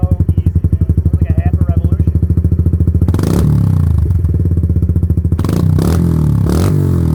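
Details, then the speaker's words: Kawasaki Lakota quad with new aftermarket exhaust, driveway run, exhaust smoking: deep crisp thumping quickens cleanly as throttle opens, no popping or misfire; loud but not too loud, healthy single. "Doesn't get better than that, man. I mean, it's loud, but it's not that loud. I think it sounds really good, dude."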